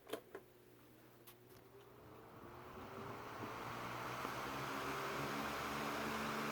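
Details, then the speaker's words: Windmere (Kuo-Horng) 16-inch oscillating desk fan, model NR-16/413, late 80s or early 90s, started on high: airflow swells into a smooth, steady rush with no ticking or rattle; normal running. "it's a pretty powerful fan actually plastic desk fans all often get the get a bad rap for not being super great quality like especially these kind from like the 80s and 90s but they're actually they're really good"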